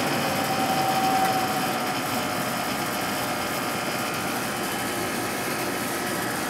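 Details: Sharp 8,500 BTU air conditioner from 1997, with a Matsushita rotary compressor and a Samsung fan motor, newly acquired and just switched on. Steady even hum and fan rush with a faint constant tone and no knocking: it is running normally.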